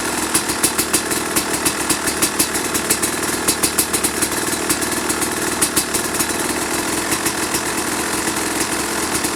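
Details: 2005 Kawasaki KX250 two-stroke, first fire-up after rebuild for low compression (piston shot, plating questionable, crank play): crisp idle popping evenly, short rev blips rising and falling cleanly; sounds healthy.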